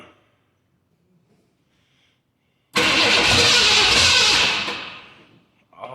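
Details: 1969 Ford Mustang coupe sitting 24 years, new Explorer rear end fitted; after near silence catches abruptly and roars to a steady run, then settles; starts and runs, blow-by visible.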